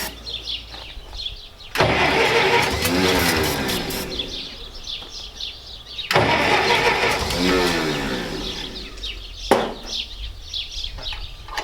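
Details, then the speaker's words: Massey Ferguson 65 tractor after carburettor cleaning, starter faulty: two long cranking bursts about four seconds apart, then a brief third try; the engine turns over but won't run, a hard start. "she's not liking me too well okay try it again okay we'll try it one more time here"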